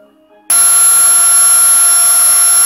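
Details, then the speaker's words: Samsung LN37A550 (A550 series, 37-inch) TV: sudden shrill steady screech with no picture on a repeated startup attempt, cycling with abnormal colors and stripes; main-board startup fault, likely the 47 µF 10 V tantalum capacitor or the MP2363 step-down chip. "the second attempt making a screeching sound with no pictures now it's going to attempt it again every time we hear that tone it's attempting another another triad locking on still no picture"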